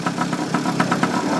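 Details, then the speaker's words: 49cc pocket bike two-stroke after fixing a clogged fuel valve and moving the carburetor needle clip from the top groove to the middle: quick, even buzzy popping with a light rattle, holding a steady normal idle. "I put everything back and uh my is running now. Uh I just finished driving it, you know."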